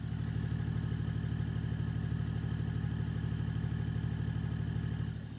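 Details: BMW E39 530d, M57 diesel, with modified rewelded muffler that rubs the bumper: steady, even diesel idle with a low, regular pulse and no knocking or metallic slap; exhaust clear and quiet.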